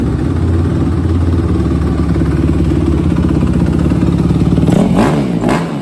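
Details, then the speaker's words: 2006 Suzuki RM-Z250 single-cylinder after new OEM timing chain, valve adjustment, carb clean and air screw tune-up: crisp, even idle with a clean rev dropping back smoothly; sounds good, runs right. "definitely sound good and be touched get it cycled"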